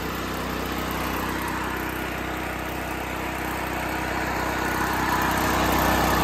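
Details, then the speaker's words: Small generator engine running on liquid propane after starting with choke lever set to start then switched to run; steady even drone with faint rising note, settled and running normally. "to clarify she runs but you don't need to put the carburetor on run i'm sorry on start you put on run and presto magicio she's alive"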